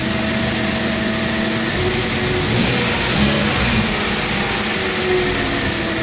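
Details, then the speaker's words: 2014 Hyundai Accent automatic: engine revs cleanly and settles back without the earlier delay or hesitation, with power now present; normal revving. "Ayan oh. Tapos may power na. Kanina ano siya delay."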